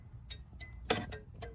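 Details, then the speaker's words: 1982-92 Camaro/Firebird flasher relay clicking crisply and steadily on the right turn signal, a normal flasher sound; the left signal stays solid with no clicking, so the flasher is to be replaced. "so i'm gonna go ahead and turn it to the right signal boom work just fine and as you can hear it's clicking just fine"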